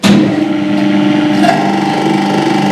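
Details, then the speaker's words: Squirrel cage induction motor on an electrical machine trainer kit, switched on with no load: sharp start, then a steady even hum with clean tones, no knocks or rubbing, drawing 0.37 A; normal no-load running. "ಓಡೋಕ್ಕೆ ಶುರುವಾಯಿತು motor. 0.37 ಕರೆಂಟ್ನ ತೊಗೊತಾ ಇದೆ."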